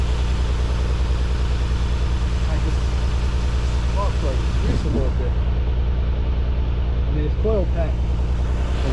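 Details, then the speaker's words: Nissan 300ZX just after installing new spark plugs and refitting the balance tube; something is slightly loose. Steady low idle with occasional uneven beat and slight hesitation, still a little stumble; cause not confirmed (fuel injectors suggested). "loose a little bit, but it's running. Still got that little stumble."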